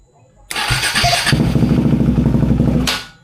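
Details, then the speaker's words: KTM Duke 390 V2 single, sat unused over a month, fuel pump stuck and revived by tapping: catches, rough uneven idle about two seconds, then dies; first start stalled because the pump was not yet properly primed. "Unang andar lang parang namatay siya kasi hindi pa naka-prime ng maayos yung pump."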